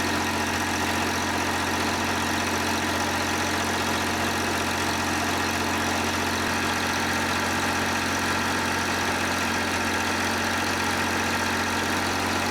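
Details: John Deere 350B bulldozer, rebuilt diesel engine: steady, even low idle with a smooth, unbroken drone, no knocks or misses; normal idle.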